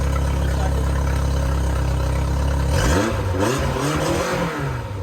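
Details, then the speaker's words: Yamaha 4-stroke outboard after carburetor rebuild, pilot screws set, top carb screw adjusted to remove stumble and idle RPM set: steady even idle then clean revving with no misses, stumbles, smoke or exhaust popping; normal. "no misses no stumbles no weird sounds everything sounds good no more smoke and popping coming out of the exhaust as it idles"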